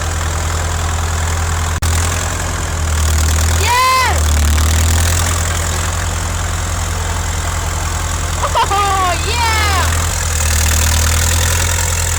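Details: 1950s Caterpillar D4 crawler diesel, sat at least 20 years, started via pony motor after a temporary fix for a severed fuel line: deep, steady diesel chug at an even low beat, no knocks or misses; normal running.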